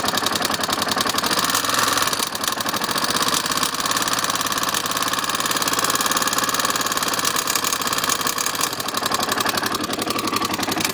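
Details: KTM LC4 single at idle with fast light ticking over the exhaust beat; decompressor valve noise because the manual decompressor was not adjusted during reassembly.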